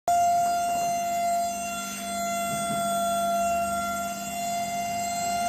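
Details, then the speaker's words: Microwave oven running: loud, steady high-pitched drone with a hard edge throughout operation, pointing to a dry cooling fan bearing. "जैसा कि दोस्तों ये आवाज आप सुन रहे हो। इस आवाज क्यों आ रही माइक्रोवेव में इसको आज हम देखेंगे।"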